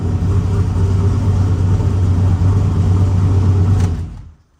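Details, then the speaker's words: 6.0 LS V8 with 243 heads and stage 2 cam in AWD Silverado, first start after installing FTI 3200 stall converter; lumpy, loud idle with uneven puffing rumble from a sizable exhaust leak. "I seem to have a pretty good exhaust leak."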